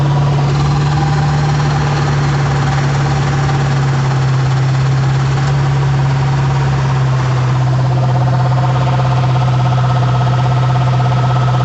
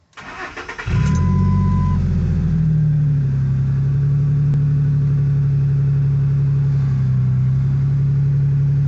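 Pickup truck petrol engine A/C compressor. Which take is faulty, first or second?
first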